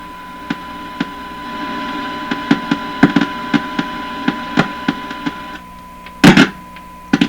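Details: Hallicrafters TW2000 World Wide receiver during IF transformer alignment after extensive work: steady hum and faint tone broken by irregular sharp cracks, pops and loud bursts, crackling static from a failing silver mica capacitor (silver mica disease), located by probing capacitors.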